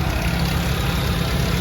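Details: Nissan GA14DNE engine, owner wants to replace head gasket: low uneven idle with busy rattling clatter throughout, source being diagnosed; engine rattle at idle.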